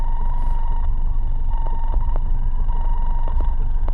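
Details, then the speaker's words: Car audio with steady high-pitched alternator whine through highs and mids, clicks as a wire touches a ground, reduced but still present; fixed by grounding closest to the radio; alternator whine from bad ground. "I'm going to touch the ground it calmed it down a lot but you can still hear it"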